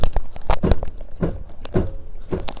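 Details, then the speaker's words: Repaired salvage Fiat 500 with new springs, occasional rear clonk over some bumps: uneven dull clunks, about five in under three seconds, as the body is pushed down at the open boot, from the left rear; owner suspects the shock absorber and plans to replace it. "That's the noise I keep hearing. It's coming from that left-hand side. So that, I think, has got to be a shock. It's got to be a shock absorber."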